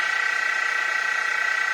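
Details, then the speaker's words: Mini mill after a Little Machine Shop belt drive kit upgrade: steady high-pitched motor hum with a fine even flutter, no gear grinding or metal-on-metal lever rubbing; normal running. "No more of that gear grinding, clunking, clacking. Plus, when we had that lever here, it was metal on metal rubbing."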